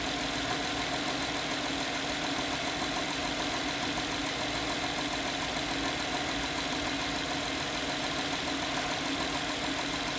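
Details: 2011 Honda Pilot at idle: loose, uneven tapping about 100 per minute over the engine hum. The customer reports strange engine sounds and a stinky smell. The knocking source is hard to locate and still unclear.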